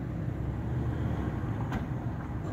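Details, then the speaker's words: Japanese-market Suzuki Swift automatic idling in gear after the faulty cylinder-4 engine coil was replaced. Low, steady rumble with no dropped beats; no misfire now, where it had previously misfired at slow running. "गाड़ी easy है माशाल्लाह, कोई इस time गाड़ी में miss firing नहीं है।"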